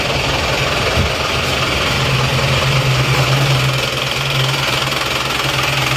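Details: Isuzu Panther diesel after retarding the injection pump timing back to the standard centre position. Steady clatter with an even low drone and no harsh rattle, smoother than before. Normal running, with noticeably more power.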